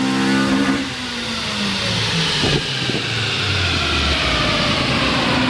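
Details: 2000 Honda Civic Si (EM1), on a dyno at 84°F doing a third-gear full-throttle baseline run; a strong, clean note rising smoothly through VTEC with no misfire or knock, about 139 hp and 101 lb-ft.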